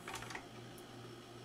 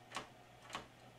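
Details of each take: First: Magnavox ZV427MG9-A DVD/VCR after replacing a shorted capacitor and damaged transistor feeding the capstan/loading motor, mechanism unmounted: loading clicks then a soft steady motor hum, no grinding; tape plays normally. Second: Magnavox ZV427MG9-A DVD-VCR that shuts off after 13 seconds, top cover off: on attempting tape load, two sharp DVD-mechanism clunks with no loading motor movement; cause was a shorted capacitor and damaged transistor cutting capstan/loading motor supply.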